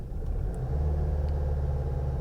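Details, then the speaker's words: 2012 Volkswagen CC 2.0 with rough idle, stalling, misfire and camshaft codes: low heavy chugging barely picking up with throttle; cam actual -35 vs target 28, camshaft adjusting (VVT) valve suspected. "it's not changing much coming up a little that's still way off Target this thing is just chugging not sure if you can hear that"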